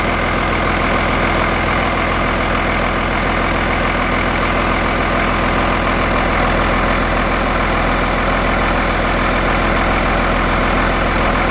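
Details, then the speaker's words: Second-gen Cummins diesel truck after replacing the belt tensioner, found to be the cause of the belt problem; AC compressor kept, old tensioner's bearing felt slightly rough. Steady, even idle with a smooth rev, no chirp, squeal or slap: normal belt drive. "all right so i think we have our belt issue solved so it was the tensioner causing our problem"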